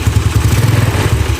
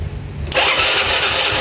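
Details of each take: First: Yamaha Nouvo carbureted scooter, after the upper valve clearance was found tight and loosened: steady, even low putter at idle with a regular firing beat and no misses or clatter; revs return to idle promptly, a normal idle. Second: Yamaha Nouvo carbureted scooter with tight valve clearance, before the needle jet swap to a stock Yamaha part: ragged, uneven stutter at start and mid throttle, revs slow to fall back, running lean-ish; stumble on acceleration.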